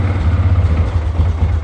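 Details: Wilderness ATV small petrol engine idling steadily after fixing an ethanol-damaged carburetor: even low thump, no rattle.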